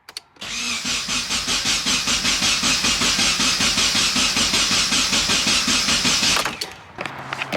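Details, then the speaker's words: Nissan 240SX first start attempt after sitting 10 months: starter cranks steadily, about two and a half turns a second, never catching; a large fuel leak at the rear is thought to bleed off pressure, and it ran on brake cleaner; crank no start, fuel starvation. "now we know the problem is fuel that big ass fuel leak in the back is probably like losing all the pressure and it's not getting up to the front because we just tried it with brake cleaner and it worked"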